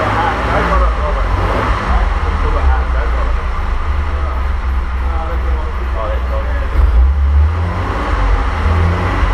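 Low, steady rumble that holds an even beat throughout, no knocks, ticks or misses; the six is running smoothly and healthy.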